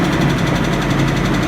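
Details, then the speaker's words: Chevy S-10 (GM engine) just revived after fuel fixes and water pump replacement: steady idle with a regular tapping knock several beats a second; source not yet found, heads may come off later. "Literally the key, but listen to that knock. Nothing like a GM"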